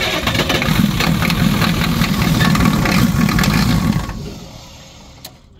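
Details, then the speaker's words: International crew cab 7.3 IDI diesel, no-start, cold morning around the 30s, glow plug controller bypassed with plugs on 10 seconds: it clatters and runs rough about four seconds, then winds down and dies after losing fuel prime. Batteries are also weak. "go ahead now we're out of fuel all right all right so now it's lost its fuel Prime so go and crank it"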